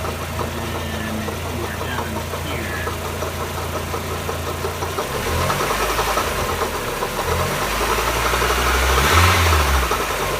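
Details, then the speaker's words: 1994 Mazda Miata 1.8 litre petrol at idle, noise started suddenly: light lifter tick under a steady knock about four beats a second that swells louder; pulling plug wires one at a time did not isolate it; cause unknown. "Okay, I'm not sure if this is actually going to come out, but there's lifter tick, and then there's some kind of knocking noise. And it gets louder"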